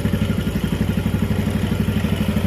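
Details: Yamaha Jupiter MX after engine overhaul (new cylinder block set, timing chain, conrod, crank bearings, clutch, water pump parts): even putter about eleven beats a second, no knocks or rattles; healthy smooth idle.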